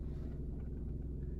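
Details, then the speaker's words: Car idling with brake held, air conditioning off, recorded inside cabin: deep, even droning rumble that briefly quiets when shifted into park, then vibration gradually builds again; source unknown. "でパーキング入れて一瞬静かになるんですけど私しばらくすると振動がだんだんだんだん誇張されてっていうんですかね"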